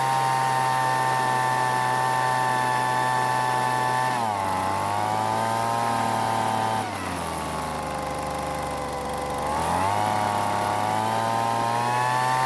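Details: Weed Eater leaf blower (small two-stroke) after long storage, following carburetor adjustment (L screw and H screw turned out for more fuel): screams at steady high pitch, dips briefly twice, picks straight back up cleanly; runs smooth, properly tuned.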